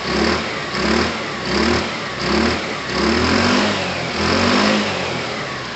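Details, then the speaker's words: Kawasaki motorcycle with a cheap replacement carburettor fitted over a suspected fuel-starvation problem, warming up at idle: a single buzzing note with a gentle rise and fall. It runs clean with no cutting out. "i'm not sure you would have completely heard it guys but it did rise so my guess is that it's at its kind of optimum performance there"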